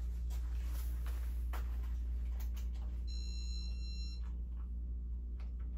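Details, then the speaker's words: Casablanca Broadway Limited Inteli-Touch ceiling fan from June 1985 with replacement RMM1 board, at speed three: drawn-out control beep over a steady hum, far longer than normal; something suspected wrong with the board, bearings also noisy. "the beeps aren't supposed to be that long and it's not supposed to take all that time it's supposed to be quick but something's wrong with the board"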